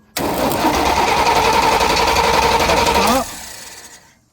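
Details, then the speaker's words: Chevrolet K1500 pickup no-start, recorded under the truck while cranking with clutch in: fast irregular crank about three seconds that never catches, crackly buzzing; starter back terminal dislodged, poor connection sparking, new starter needed. "What I have going on is the back terminal on my starter has basically dislodged itself. Uh, it's not making a good connection and it's creating spark on the starter."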